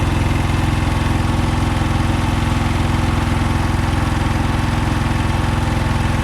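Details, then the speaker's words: Komma Seisakusho MT-S411D harvester thresher while threshing: steady even knocking about three per second; first suspected worn sorting/shaker section, then traced to the binder (knotter) shifted out of position. "結束機の位置がおかしいんだ。"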